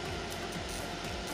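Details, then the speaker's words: Microwave oven not heating. The high-voltage test shows a steady harsh buzzing arc, proving the transformer, capacitor and diode are good. The magnetron has failed despite looking intact and is to be replaced. "Nagkakaroon siya ng arcing. So, ibig sabihin, buo po yung mga major parts niya, yung transformer, capacitor, diode. Kasi, lumalabas yung arcing niya. So, 100% sira po yung magnetron natin kahit mukhang buo."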